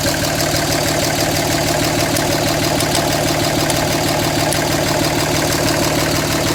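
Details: 2007 Dodge Ram 5.9 Cummins, rough idle for about a month: uneven lumpy beat about three pulses a second with loose clatter; intermittent fuel rail pressure sensor, MAP sensor and overboost codes, owner wonders about excess blow-by; cause unconfirmed.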